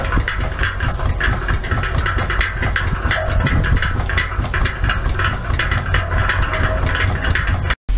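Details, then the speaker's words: Steam engine running on compressed air while driving a cement mixer: low steady exhaust chuffs about two a second, even and unhurried under load; normal running. "this is another engine that we'll be selling on october 17th another steam engine will run on air and it's running a cement mixer sounds"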